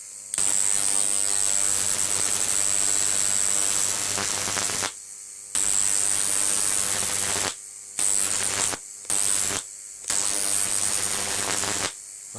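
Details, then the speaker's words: Large flyback transformer on a ZVS driver with IRFP260 MOSFETs and a 33 µF capacitor at 30 V, arcing: harsh on-off buzzing bursts over a steady hum. Transformer interference is audible; better capacitors might help. "now there's a bit of a transformer interference coming through there as you can hear"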